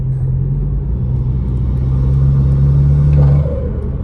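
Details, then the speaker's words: BMW F30 with B46/B48 2.0 turbo, MST intake, accelerating after replacing the failed OEM retainer clip with an upgraded aluminum clip: deep even intake rumble building steadily, previous scratching noise gone; normal acceleration. "as you can see, you can kind of hear the intake now. You don't hear the scratching at all. That shit's completely gone."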